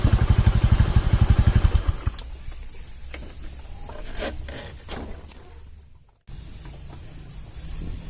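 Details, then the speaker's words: Honda Beat carburetor scooter after CVT drive belt kit replacement (old belt worn): a few quick even pulses settle into a quiet, steady idle with no slap or rattle; engine smooth and healthy. "Alhamdulillah sudah selesai dan mesin halus mesin halus kawannya"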